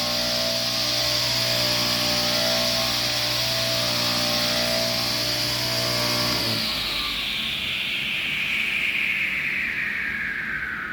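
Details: Tile saw repurposed as surface grinder, motor at full speed: steady high hum with even whine, then switched off and whine falls smoothly as it coasts down; runs healthy.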